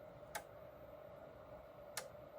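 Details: EcoFlow Delta Pro power station on firmware 1.0.0.74, early morning with low sun: two sharp relay clicks about 1.6 seconds apart over a faint hum; known unfixed clicking, cycling faster than on previous firmware.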